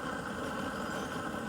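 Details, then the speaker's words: Garden weed torch after regulator replacement, turned up to full flow: strong, even hiss and roar with no sputter or pulsing; burning cleanly. "you can see that flame turn that up a little more make it really sizzle as you can hear that you can start burning stuff"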